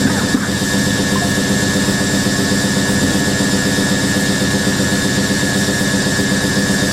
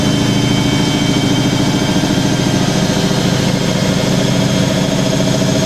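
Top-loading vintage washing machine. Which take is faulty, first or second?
first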